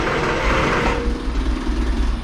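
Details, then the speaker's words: Triumph GT6 after new water pump, belt and coolant refill: short hissy crank runs straight into a low uneven rumble as the engine catches and keeps running, to be warmed up to bleed air; engine starting. "there we go yeah and she run again we're gonna let her warm up make sure we get all the bubbles out of the system"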